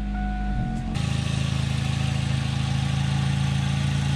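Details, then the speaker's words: Freshly started Korean-made four-cylinder sedan running olive oil instead of engine oil after an oil change: steady, even idle with a faint light tick up top, oil light off, possibly slight rocker noise; otherwise normal idle. "i'd say that sounds really good still no oil light so"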